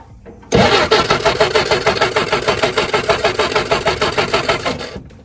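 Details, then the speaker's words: 1967 Jeep CJ5 off the road 23 years, cranking with spark tester after filing the points: engine spins freely about three turns a second but never fires; no spark, owner suspects points or coil. "nothing so I'm gonna guess it's still something to do with the points it could be that coils bad"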